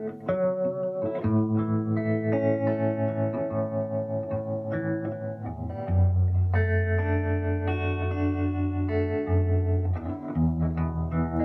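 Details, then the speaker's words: Early-60s Davoli D531T tube amp after the whole tremolo circuit was replaced (tremolo previously dead): guitar chords with a gentle, even pulsing in volume throughout; tremolo now working steadily. "while the whole tremolo circuit has been replaced i have to catch some of the leads a bit shorter but can you hear it can you hear it"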